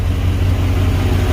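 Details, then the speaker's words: Chevy Caprice LT1 V8, cold idle, O2 sensors unhooked, old dump mufflers: steady low rumble with slightly raspy, uneven puff; big exhaust leak at the manifold. "But said it ain't running right because it still got that big old exhaust leak, as well as the O2 sensors not hooked up."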